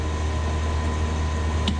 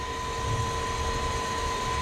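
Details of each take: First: Carrier 30GTN chiller in test run, condenser fan motor 1 switched on, single contactor pulled in: low, steady fan motor hum with no grinding, squeal or rattle; runs normally. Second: Carrier 30GTN chiller in test run, condenser fan 3 switched on: fan motor kicks in midway with steady low hum and buzz over plant noise; sounds like bad bearings but technician suspects the contactor.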